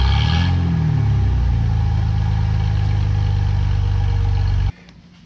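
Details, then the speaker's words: 2017 Ford F-150 5.0 V8 after both catalytic converters installed and the air pump and smog equipment removed, EGR still fitted: steady, even idle with a deep low rumble, no knocks, ticks or exhaust puffing; runs decently. "let's everything seems to be running decent"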